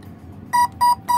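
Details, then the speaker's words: Spektrum AR9020 receiver with only one satellite antenna attached: three short clear beeps about a quarter second apart warning the missing satellite; shorting the spare plug's pins stops the beeping. "then it tricks the and just listen for the beeping it'll stop"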